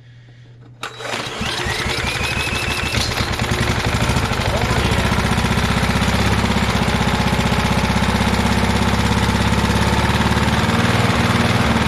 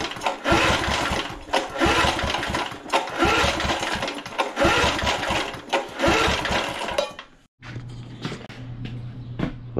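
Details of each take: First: Inherited vintage heirloom walk-behind lawn mower: catches after a second of cranking then settles into a steady, even small-engine run with no misses; running healthy. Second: Vintage lawn mower, oil full and clear, throttle at start: several hard cord pulls with no pop or sputter at all; no-start.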